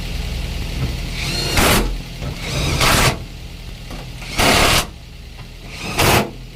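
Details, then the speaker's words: Daihatsu Gran Max 1.3 after engine overhaul for lost compression (hard starting; cylinders 2 and 3 at zero): steady, healthy idle with a few whooshing surges on top; radiator fan cycles on and off, showing normal operating temperature. "Kipas radiator putar kemudian mati sebagai tanda perputaran suhu normal."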